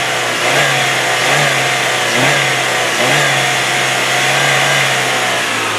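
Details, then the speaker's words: 2003 Saturn Ion 1, engine revved up to the rev limiter: climbs smoothly and evenly and bounces off the limiter, no knocks, no valve train noise, no high-rev knock; healthy normal revving. "So as you can see, as I'm hitting the rev limiter, this baby really sounds good. It's got no knocks, it's got no valve train noise, no high rev knocks."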